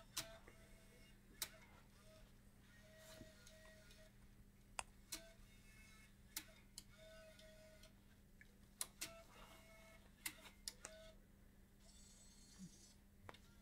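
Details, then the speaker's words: Bose 3-disc CD changer after repair of grinding and stuttering, with the connector properly plugged in: sharp clicks about every second with short motor whirs as it cycles, no grinding; mechanism now working normally. "that's what it's supposed to do if you have it plugged in right the first time"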